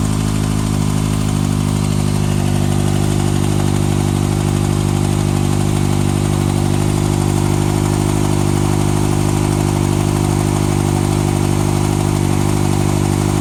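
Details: 2014 Kawasaki ZX-6R ABS, 8,000 km, last serviced at 5,500 km, Graves slip-on exhaust: steady four-cylinder idle with a fine, even ticking over the exhaust note, unchanged through the clip; source of the tick unknown.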